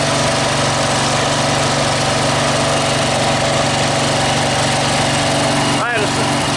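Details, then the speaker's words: Scrap Snapper 38-inch-cut riding mower, started on starting fluid and choke: small single-cylinder engine at steady fast idle with no knocks or misses; runs healthy. A carburettor gas leak shows, apparently because the fuel shutoff was broken off. "yep should turn the key on doesn't it try choking it hey he's running all right so"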